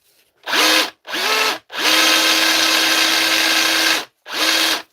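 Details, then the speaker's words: DeWalt DCH273 SDS rotary hammer drill after rebuild, run free on another battery: short bursts with motor whine under harsh gritty rasp; grinding noise, something assembled wrong, needs reopening. "don't like the sound of her all guys might have to open it again what do you think I don't like a s that at all she's a about grindy sir"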